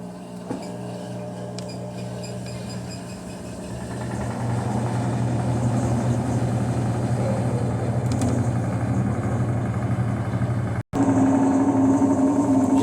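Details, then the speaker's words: Electrolux LT11F washing machine: steady low drone turning rough and hoarse once the drain pump starts, gritty buzz throughout, sometimes very loud; noisy, worn drain pump. "Esse é o barulho da bomba"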